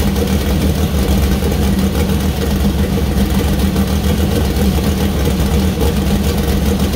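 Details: First start-up of new 2000+hp LS build (Dart block, Wiseco pistons, Brodix BR3 heads, .750 solid roller cam): deep steady V8 burble at even idle with light revs, no knocking or misfire; healthy, small oil leak at cam-driven fuel pump.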